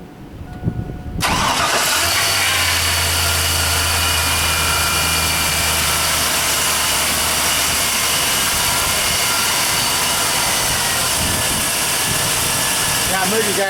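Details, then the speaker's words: 1999 GMC 1500 4x4 SLE after alternator and power steering replacement, old alternator overcharging; cranks, catches quickly, smooth steady idle without knocks, squeals or misses, alternator now showing correct voltage; normal idle. "Boy, she sounds good now. Alternator is even showing the correct voltage now."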